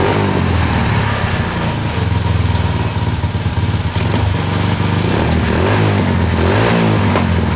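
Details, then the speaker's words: 2003 Honda 919 CB900F fitted with Tillotson 225 racing engine (Honda clone, ~18 hp), after the swap: single cylinder thumps with loud, raw exhaust and steady beat, picking up briefly with throttle; running healthy. "Oh, it sounds... Oh, it sounds so cool. Yeah. it's got low. We got low, man."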